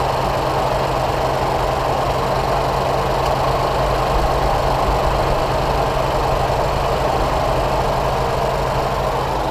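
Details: 2013 Ford 3.5L EcoBoost turbo V6 at 96,000 km after a spark plug change, idling smooth and even with no misfire stumble or knocking once the initially rich, almost backfiring start leaned out.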